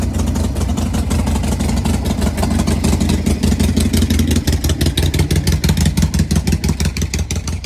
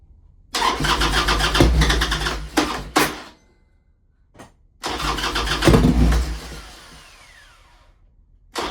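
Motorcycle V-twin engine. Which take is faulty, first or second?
second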